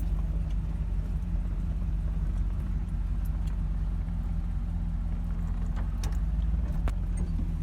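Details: Chevy Cheyenne C20 Trailering Special V8 after new Edelbrock 600cfm carburetor and replacing the water pump with a bad bearing: deep, steady idle with no grinding; runs smooth and healthy.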